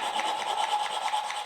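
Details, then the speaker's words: Classic Mini 1100 Special cylinder head being rebuilt, valve hand-lapped on coarse paste: harsh gritty back-and-forth scraping as the rough seat beds in, getting less and less noisy as lapping continues. "you can hear how rough that is and it gets less and less noise"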